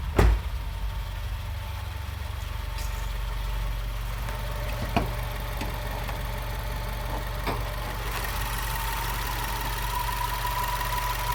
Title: WRX whining noise